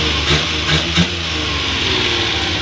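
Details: Suzuki F6A 12-valve small petrol engine after cylinder-head work and distributor refit timed with cylinder 1 at top dead center. It idles evenly, and quick throttle blips rise and settle cleanly; it runs smooth and healthy with correct timing.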